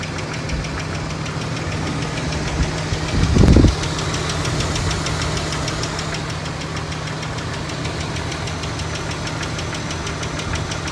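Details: 2002 Nissan Xterra engine at idle with a loud, fast ticking of roughly three to four ticks a second, cause unknown.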